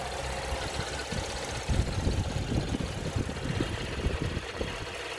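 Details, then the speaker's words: 2015 GMC Terrain 3.6L V6 with P0496 code, after replacing the EVAP canister purge valve: steady idle with a faint quick tick over the engine note; seemingly not improved by the new valve, tick source unclear. "i don't know if you can hear the tick on uh we think you"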